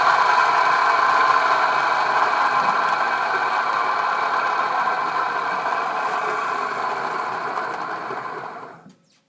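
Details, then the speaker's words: Wade C.A.V. No.1 plain turning metal lathe, drive motor: loud, steady high whine with a rough buzzing edge at constant speed; the motor itself is unusually noisy, while the lathe has babbitt bearings. "uh you're worried about that really loud noise yeah that's the that's the motor i'll take it take it off the lathe and you can you can hear it excuse me"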